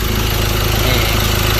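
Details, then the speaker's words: Ford Ranger T6 diesel at 300,000 km, after an overhaul with new pistons and reworked cylinder head (it had lost power and smoked from the dipstick): a smooth, even idle with steady low pulses and no knocks or misses. It runs healthy. "นี่สตาร์ทติดแล้วนะครับรอบเครื่องนิ่งขับก็ก่อนมาก็จะมีอาการที่เกิดปัญหานะครับ"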